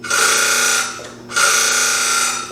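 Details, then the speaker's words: Consew 206RB walking-foot industrial sewing machine, head tipped back and drive belt removed so only the clutch motor runs: two bursts of harsh, gritty high-pitched grinding with a sharp tone; clutch motor faulty, to be replaced with a servo motor. "Oh, thank goodness. It's just the motor. We'll replace it with a servo."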